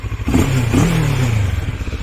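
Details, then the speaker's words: CF Moto MT 650 parallel twin at about 400 km, revved standing: deep uneven burble with soft pops as revs drop; exhaust not very loud but pops a lot; normal character. Separate buzzing traced to dash parts, not engine. "motorun tatlı bir sesi var egzoz pek gürültülü olmasa da Domak gibi patlatıyor bayağı patlatıyor egzoz şöyle bir"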